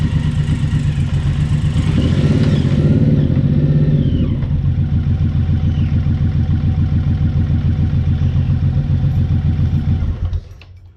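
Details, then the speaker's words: Suzuki Boulevard M109R idling with a brief rev: lumpy V-twin idle with a dull rhythmic knock and visible engine movement, from worn rubber in the front engine mount. "so you can see the engine movement you could actually hear that knocking which is shows that the rubbers worn"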